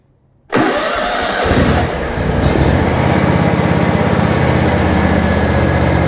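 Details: John Deere riding mower started after its carburetor fuel solenoid was replaced: the engine fires at once, revs briefly and settles into a steady, even run with no stumbling, misfire or surging; normal start and idle.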